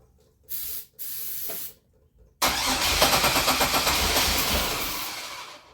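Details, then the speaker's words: Grand Am GT with a 3800 NIC cam/F23 swap, new coils and ICM, battery charged, fuel pump heard priming: two short cranks, then longer cranking that almost catches but dies. Crank no-start; owner suspects injectors not firing, possibly a melted connector pin. "so close. Damn. Man, it was so fucking close. I wish I could figure out what's going on with these injectors, man. Why they're not firing."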